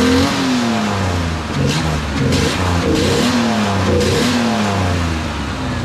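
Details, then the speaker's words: 1987 Ford Bronco II manual, idling in four-low with the clutch released in any gear. Revs rise and fall freely with no drive taken up; clutch completely worn out. "i'm getting the gear and the clutch is released but the clutch won't engage yeah clutch is just completely wiped out on it"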